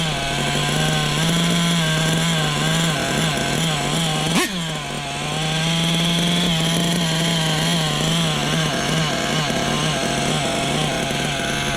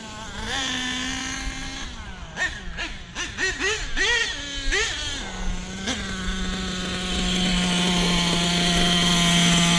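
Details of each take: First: Small nitro RC engine during break-in, at idle, with a buzzy tone that swells and sags rhythmically; low-speed mixture slightly too lean, and the idle had just been backed off. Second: Small nitro RC engine during break-in blips with quick throttle stabs, then settles into a steady, even high-pitched idle; normal idle.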